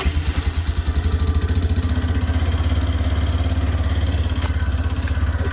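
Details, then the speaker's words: 2001 Yamaha Big Bear 400 ATV single-cylinder, started by key and button, owner plans to turn the idle down with what he believes is the adjuster; steady fast thump well above normal tick-over; high idle. "I'm gonna try to idle it down a little bit so that it doesn't idle so high."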